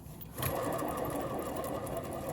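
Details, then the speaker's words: Removed alternator from a 2003 Hyundai Sonata 2.4L that was not making enough volts to charge the battery, pulley spun by hand: fast, rough gritty chattering whir instead of smooth coast; bad alternator bearing. "okay two quick easy diagnosis all the time of anything with a pulley on it it should not be making that noise"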